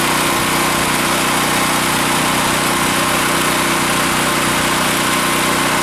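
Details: Generac 5500 generator after cleaning its rusty gas tank and the clogged filter screen on the fuel shut-off valve, carburetor also cleaned: loud, steady, even drone with no misses or surges; runs smoothly at constant speed.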